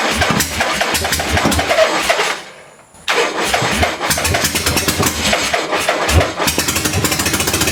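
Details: 1976 Harley-Davidson Ironhead Sportster with new points, condenser and timing advance: under music the V-twin cranks and catches unevenly, then stumbles and cuts out. Hard starting because static ignition timing could not be set correctly with the new parts.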